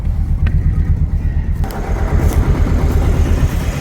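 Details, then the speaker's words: 2000 Chevy S10, first start after sitting, battery hooked up and oil changed: deep, lumpy idle stumbling about three times a second and shaking; bad misfire on a cylinder, with check-engine light on and good oil pressure. "it runs a bit rough oh it's a bit rough service engine soon low fuel lights on we got oil pressure a lot of oil [Music] pressure so we got a bad Miss that's about it"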